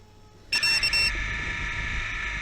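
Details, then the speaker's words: Homemade 3D-printed quadcopter Palantir 3, flight controller reflashed to iNav 3.0, on the ground: quiet hiss then a half-second run of sharp high beeps as the controller refuses to rearm, cause unknown. "i'm not quite sure what's happening there i think i'm trying to rearm it and it's resisting me for some reason"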